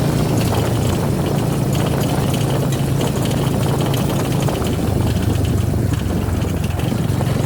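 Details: Suzuki V-Strom 250 SX single-cylinder engine idling steadily with a faint dry rattle riding on the idle; cause unclear.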